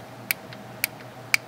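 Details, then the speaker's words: Mitsubishi F4A33/W4A33 automatic transmission shift solenoid A/B (orange and yellow wires), bench-tested with a 12 V Milwaukee M12 battery: three faint sharp clicks, partly connector spark; weak solenoid click. "listen real closely here tiny little click some of that click is actually the spark from completing the circuit inside my connector here"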